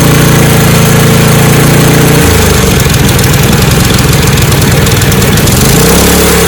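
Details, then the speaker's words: Snowblower engine after carburetor repair, choke moved between positions. Steady idle drops to a lower, rougher beat, then climbs back, hunting high and low. Choke fully open floods it with too much fuel; fully closed nearly stalls; in-between setting wanted. "So like you saw when I had it running in full, choke open, there's too much fuel going through, so it would fill up, and then it would keep kind of running high and low and high and low."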